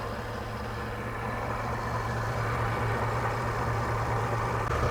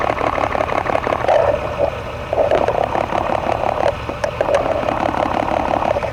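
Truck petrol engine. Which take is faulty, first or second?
first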